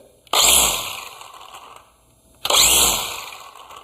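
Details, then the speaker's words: About seven-year-old Black and Decker cordless string trimmer running after a battery replacement, cutting grass: two strong bursts of high-pitched motor whine, revving up crisply and winding down evenly, full power; normal run. "threw it back together go do a little bit of grass cutting see if it works really well"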